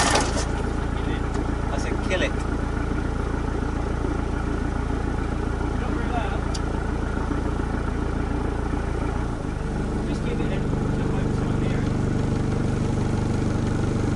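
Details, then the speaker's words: Truck being rebuilt after 8–9 weeks off the road, after a rebuild; first start attempt fails with steady cranking about three beats a second and no catch, then a pitch shift; injectors being cracked, possibly air in fuel; cranks but no start. "First attempt failed. Might as well crack the injectors whilst I make that."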